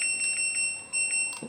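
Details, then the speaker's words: LG front-loading washer FC1207S5W after module repair and a replaced touch button: a few short, clean high-pitched beeps, one per key press, on a quiet background. Responsive touch panel, normal beeps. "Untuk touchscreen yang baru ini pun sudah responsif."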